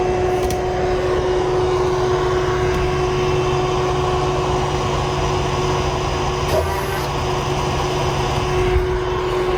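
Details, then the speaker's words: Tandy 2500 XL computer with the hard drive removed, only the case fan running: constant loud whir with a steady mid-pitched tone that never changes; the fan alone is pretty loud. "And just for comparison purposes, I took the hard drive out so you can hear how loud it is. Just the fan, which is pretty loud in and of itself."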